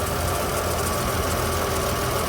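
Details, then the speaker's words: 2013 Ram 1500 crew cab 4x4, 3.6L V6, check engine light for misfire, new plugs: loud idle with faint uneven ticking beat, cylinder 5 misfire counters; suspected failing cam follower or cam lobe on cylinder 5, not confirmed. "but it acts like it's got a myth right now but this doesn't have active misfire counties that I can find online"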